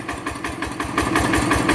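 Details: Rebuilt Yanmar TF85 LM single-cylinder diesel, original piston rings, owner says it burns no oil, slight exhaust smoke. Even, steady thumping at about six beats a second with no knocks or misses: normal running.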